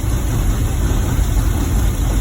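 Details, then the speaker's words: 2010 GMC Savana 1500 4.3 V6 with no-start/no-spark complaint after PCM replacement, scoping ignition module drivers: steady low, even idle with no misses, knocks or stumbles; all three driver signals look good, fault not reproducing. "So all three signals look the same and look good to me. Engine is running okay."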